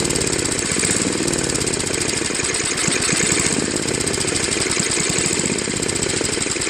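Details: Tecumseh Snow King 5.5 hp 195 cc engine on Craftsman trac-drive snowblower, after stored year and carb cleaning, busy idle with gentle rise and fall every couple of seconds; still surging slightly at low idle.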